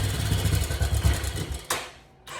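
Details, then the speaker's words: 1986 Yamaha Big Bear 350 ATV idling after rewiring and fresh oil, first run in a while: uneven, lumpy idle thumping that stumbles and fades before picking back up; carburetor needs adjustment. "yeah back up and running bro yeah [Music] carburetor definitely need adjustment"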